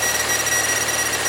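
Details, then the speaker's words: Buick that stalls: a thin, steady electrical buzz with rapid chatter comes from the faulty fuel pump relay as the key is wiggled. Voltage drops erratically and the engine stumbles and stalls. "you can I don't know if you guys can hear it but this relay is buzzing see that see how it's dropping stalling that was her complaint"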